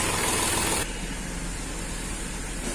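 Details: Accident-damaged Hyundai Xcent petrol with code P0193 for the fuel rail pressure sensor, after repair: a smooth, even idle with no knock or misfire. No trouble codes remain and the problem is solved.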